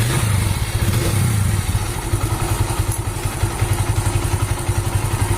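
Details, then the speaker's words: Mahindra Centuro motorcycle after repair: steady deep-thump idle with no ticking or rattle; the earlier bad sound was caused by a damaged cam chain guide and tensioner. "তো পূর্বে যেমন sound ছিল এখন সুন্দর হয়ে গেছে।"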